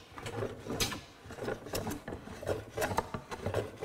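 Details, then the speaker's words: Longer hand plane, set to a normal depth, working a rough-sawn board: broken, uneven scraping bursts instead of a steady hiss as the plane rides over and bites only the high spots, including end grain. "this is the longer plane so this is going to you can hear this riding over the high spots"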